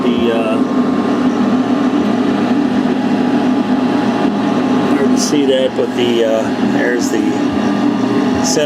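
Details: Heil/ICP N9MDP furnace after replacing a bad, buzzing inducer motor: a steady, smooth fan hum with an even tone and no rattle or scraping. The new inducer motor is running healthy.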